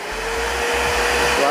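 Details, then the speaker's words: New Multipro 3-in-1 wet/dry/blow vacuum cleaner, 650 W, running its first suction test: a constant high airy rush with a steady whine that holds pitch, no rattles or surging. Fairly loud, but not excessively so. "Suaranya lumayan ya, lumayan berisik, tapi ini nggak berisik-berisik amat sih sebenarnya."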